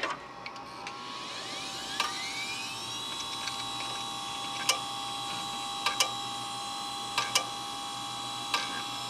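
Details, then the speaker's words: Western Digital 10GB hard drive in a Windows XP SHOUTcast server, in service since 2009, unknown prior hours; sharp clicks and clunks at uneven intervals over a spin-up whine, failing drive. "can you guess can you guess from the sound of the click clunk what brand the drive is if you said Western defective you're right"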